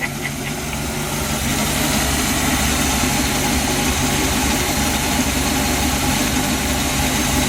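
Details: 1966 Chevy V8 idling steadily with a constant low rumble, no knocks or misses, after the wiring harness repair; charging now works on the used regulator, though the carburetor hunts slightly at idle and needs tuning.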